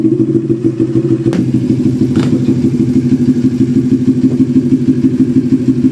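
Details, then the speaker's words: NK400 motorcycle after replacing burnt stator: steady, even firing at quick idle with a brief rev blip, no knocks or rattles; charging voltage now 14.8 V, previously dropping to 9–10 V. "Yan, okay na siya. Nagpo-14.8 na, 14.8 na. Okay na yung charging niya. Okay na."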